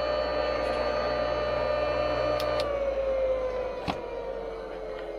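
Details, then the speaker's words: Craftsman 100 table saw motor test-run before cleaning, on a temporary three-wire cord replacing the old two-wire lead: a little jerk at start-up, then a steady hum with a clean tone that sags slightly as it settles, no rubbing or grinding; it runs normally. "Naturally, the camera's in the way before I turn it on, because we're going to have some motion. That's got a little jerk to it."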